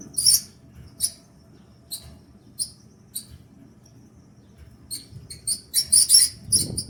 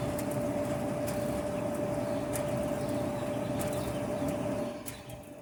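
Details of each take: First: Kenmore Elite gas dryer: shrill uneven squeaks two or three a second over low drum rumble, worse when loaded with clothes; likely a failing rear drum support roller. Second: Kenmore Elite gas dryer that squealed when loaded with clothes. The cause was a drum roller out of place and worn out. After the repair the drum turns with an even, smooth rumble, with no squeal or scraping.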